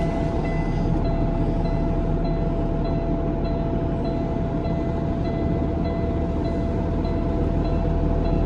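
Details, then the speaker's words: Peterbilt truck after replacing a failed part behind the dash: steady engine drone with one constant faint tone, no rattle, squeal or knock from the dash once warmed up; HVAC working normally, fixed. "let everything warm up how about that truck is fixed heck yeah that's phenomenal i just saved myself a lot of money"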